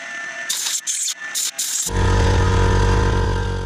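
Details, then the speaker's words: Workshop air compressor kicking in during woodturning sanding: short sanding bursts, then a steady low pulsing drone that runs on evenly. A normal compressor start. "Well, that was great timing by the compressor."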